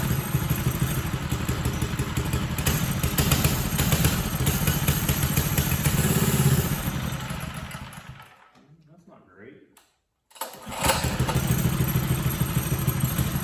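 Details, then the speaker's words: Carburetor-cleaned small single-cylinder engine (minibike/tiller/mower type) after test run: loud but uneven, lumpy running that sags, dies and restarts, won't run cleanly off choke; still running the same as before cleaning, still not right; cause unconfirmed. "Well, after that test run, the thing was running just the exact same that it had been. So, still not right."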